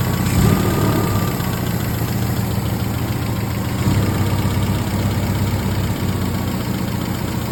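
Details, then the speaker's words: MGB under restoration, carburetors just refitted with new seals, air filter off: low, steady rumble at an even pace over a hissy background, no hunting or stumbling, no exhaust smoke. Smooth normal idle. "Big difference. Not jumping around. Looks like we got everything running good, pairing like a kitten. Sounds good. Idling perfect."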